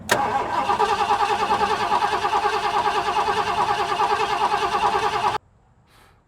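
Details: 1970s Ford F-series pickup with 460 big block, sat 25 years, just fitted a new fuel pump: starter grinds at about 2.5 turns a second for five seconds without catching, then stops; cranks but won't fire.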